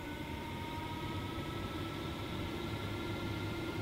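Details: Newly installed Fantastic Fan roof vent in an RV, fitted without removing old vent, just powered up at lowest setting: steady, even whir with a few clean tones over low rumble, no knocks or rubbing; healthy.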